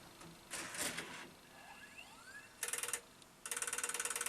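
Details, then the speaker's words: JVC SR-VS30EK MiniDV/VHS combi with a VHS tape stuck inside, MiniDV play attempted: quiet whirring then bursts of rapid ticking about four per second; abnormal loading noise, mechanism fails to play and destroys the MiniDV tape. "That doesn't sound good. Has it worked? DV play. No, I don't think it's playing."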